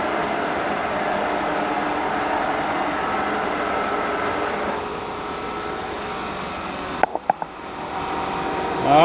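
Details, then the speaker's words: K&T milling machine spindle running at around 98 rpm before the next speed change: steady gear hum with a smooth whir, then a quiet wind-down. No knocks or grinding; healthy. "build it up with all you see it's working good"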